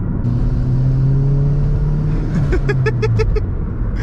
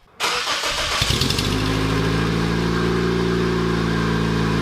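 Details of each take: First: Turbocharged Toyota Corolla 1.8L 1ZZ-FTE on base map during break-in, full-throttle pull to 60 much faster than before: strong smooth engine climb, brief chirps of front wheelspin from worn tires at tread wear markers; normal turbo acceleration. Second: Turbocharged Toyota Corolla after new muffler and gasket, cold start to idle: raspy, puffing chuff over the exhaust note; exhaust leak persists, apparently mid-pipe, needs more adjusting.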